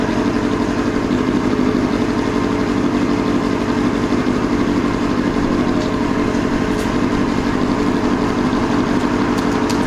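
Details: 2002 Yamaha YZF R6 carbureted four, after sitting 6 years, original fuel pump reconnected: steady busy idle with an uneven, lumpy beat about four pulses a second, missing on a cylinder; owner believes a carburetor is gummed up again and needs cleaning.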